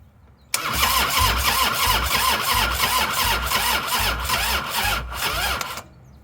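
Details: 1998 Harley-Davidson Softail sitting since 2017, new ignition coil fitted, low battery: starter labours through even compression beats about three a second for five seconds, never catching; cranks but won't start, battery suspected.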